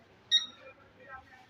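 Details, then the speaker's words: RFL 40 kg digital weight scale gives a short high-pitched beep at switch-on but the display stays blank; the cause is a failing internal battery, and the fix is replacing it. "Pick করে শব্দ হয় কিন্তু কোন লেখা দেখা যায় না দেখতেই পারতেছেন শব্দ হচ্ছে কিন্তু মেশিনে মেশিনে শব্দ হচ্ছে কিন্তু কোন ডিসপ্লেতে আলো নাই"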